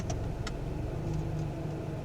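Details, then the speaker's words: Used-car inspection, shifting an automatic transmission at idle: revs bog down in reverse, then come back up as it goes into drive. Brief dip in revs, then a smooth settle with no clunk or hard shift; normal engagement. "see the RPM's come back up now Drive didn't shift hard went in smooth so we know that's working properly"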